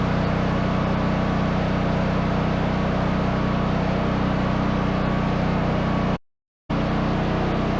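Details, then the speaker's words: Duromax 13000 generator after the backfiring fix; second successful start, steady governed speed with smooth low drone, no pops or backfires; normal running. "well that's two successful starts I call those a success"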